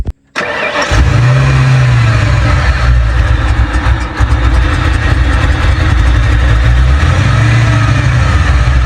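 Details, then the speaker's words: Ford F100 with aluminum heads, after wrong factory-style spark plugs were replaced: it catches after a short crank and settles into an even low rumble, still slightly lumpy because it is cold and the computer hasn't learned yet. It sounds better now. "Sounds better back here, that's for sure. Still a little cold in nature."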